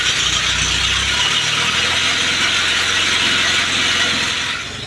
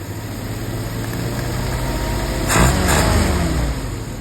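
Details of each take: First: 1948 Willys pickup engine, body off, in neutral, first start on a power jumper with old plugs, wires, points and coil. A harsh ratcheting grind of about four clicks a second sounds over the engine: the starter was missing its spring and stayed partially engaged. It went quiet once backed off. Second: 1948 Willys pickup's professionally rebuilt carburetor on its test run holds a steady low idle, takes a short throttle blip that rises and drops back cleanly, then settles smoothly. Normal idle, much better than before the rebuild.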